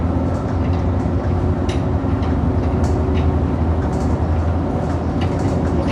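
Heavy road rumble with sharp single thumps about every second as the bus crosses potholes, pointing to a suspension knock.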